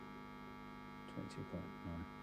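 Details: '65 Fender Twin Reverb Reissue tube amp on the bench, chassis open, during power-tube bias checks: steady low mains hum with a few brief bumps, likely stray pickup since nothing is connected to an input.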